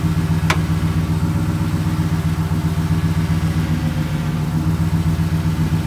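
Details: Toyota Tundra (2nd gen) idling steadily while the steering wheel is turned, with one sharp pop, caused by a worn steering rack bushing. The truck also keeps losing alignment, which is typical with high mileage, a lift and big tires.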